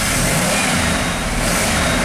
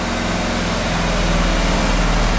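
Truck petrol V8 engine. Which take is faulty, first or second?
first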